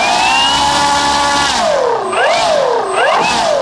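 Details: Starmax 1600mm P-51 Mustang RC plane, electric motor at full throttle on the third flight. A high whine sags and swoops repeatedly with loss of power. Improper ESC timing was suspected; the owner changed the ESC settings and the motor then seemed fine.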